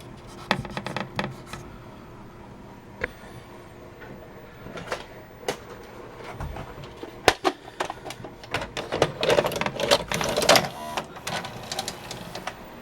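Quick irregular clicks and soft clunks as the mechanism pulls the cassette in and threads it; loading sounds normal, no grinding.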